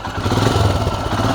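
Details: Royal Enfield Himalayan single-cylinder idling: a steady low thump with no chain rattle or ticking. This is a normal idle.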